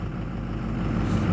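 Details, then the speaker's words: 2006 Ford F250 Super Duty 6.0 Power Stroke diesel just restarted after stalling, barely started, check engine light on; lumpy uneven idle rumble, running very rough; fuel pressure and 48 V FICM voltage checked, cause not found. "so here we go again running very rough"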